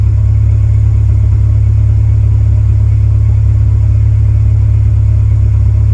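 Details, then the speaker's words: 1999 Acura Integra LS, B20B engine, P0171 system too lean bank 1, vacuum hoses checked with no leak, power loss at 2-3k rpm: loud steady idle with a regular low pulse about 150 a minute and uneven thumps; exhaust popping like a misfire. "the car is making some popping noises from the exhaust almost sounds like it's misfiring"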